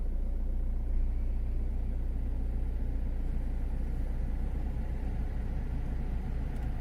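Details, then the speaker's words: Citroen C4 Grand Picasso 1.6 HDi turbo diesel, about 89,930 miles, cold start heard from inside the cabin: smooth, even low diesel rumble with no knocks or misses, phone app reading about 56 dB; normal healthy cold idle. "So about 56 decibels that is showing."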